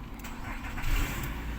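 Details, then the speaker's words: 2016 Nissan Altima with no-crank, no-start after the aftermarket tracker was removed from the starter wiring: short crank catches almost at once and settles into a steady idle. The tracker was the cause. "जी तो friends अल्हम्दुलिल्लाह हमारी गाड़ी start हो गई है। ठीक है तो इसी ट्रैकर का ही मसला था क्योंकि पहले गाड़ी क्रैंक वगैरह नहीं कर रही ठीक है?"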